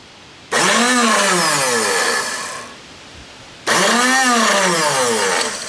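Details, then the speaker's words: Tecumseh 33290E (23220) three-bolt electric starter on a 5 hp Tecumseh engine; two bursts of free high whirring spinning up and winding down with no cranking, motor spins but rusty, stuck Bendix gear not engaging. "motor's spinning but the gear is not engaging"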